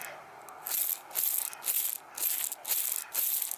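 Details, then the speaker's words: Harbor Freight Haul-Master 13 in flat-free tire steel hub on a yard cart, semi-sealed bearing spun by hand: dry, gritty rattle in bursts; cheap bearing, suspected under-greased, to be repacked with lithium grease. "sounds it sounds pretty bad I mean your typical chinesium stuff"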